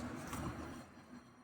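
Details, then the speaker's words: 2018 Nissan Versa in for a suspected wheel bearing noise: a hand-spun wheel gives a soft, fading swish of light brake pad rub on the disc with no bearing growl, which is normal. "Va otra vez el sonido ligero de la balatita con el disco normal."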